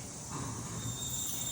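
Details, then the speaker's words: 2018 Toyota 4Runner Limited: thin, steady high-pitched brake squeal over low vehicle rumble as brakes are applied; customer complaint, fixed by cutting rotors and replacing brake pads. "customers complain about noise break making noise a little East sound all right this is the noise listen"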